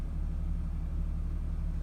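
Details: Nissan 350Z idling about 10 minutes with no throttle: deep rough rumble, idle sagging low near stall and dropping further in gear (reverse); owner suspects throttle body or knock sensor, cause unknown.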